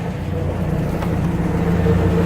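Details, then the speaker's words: Warmed-up Atomic 4 inboard boat engine after its head gasket was replaced, running at 40–45 psi oil pressure with temperature rising; a steady, even low drone at constant speed with no knocks or misses. It sounds much better. "oh she just sounds so much better carrying a good 40 45 pounds of oil oil pressure temperatures coming up [Music] oh yeah so much better"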